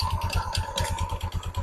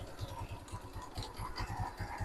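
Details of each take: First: Motorstar Easyride 125 scooter at idle: rough, clattery rattle on each engine pulse. The CVT parts have gone rusty and the belt is slack, and the owner hopes cleaning fixes it. It struggles pulling away uphill with a passenger. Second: Motorstar Easyride 125 scooter idling after CVT cleaning (deposits removed, kick starter taken off): even low thump and steady belt whir, no longer noisy like before the cleaning.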